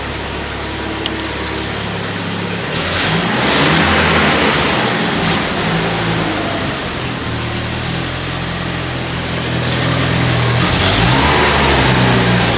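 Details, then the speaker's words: 1997 Jeep Wrangler 2.5L, in the cab before installing a new cat-back exhaust: engine blips with a sharp puffing tick in the exhaust note, a pretty good leak sounding like it comes only from the exhaust doughnut gasket down below. "okay got a pretty good exhaust leak coming from coming from the doughnut down there pretty much only sounded like it's coming from that donut"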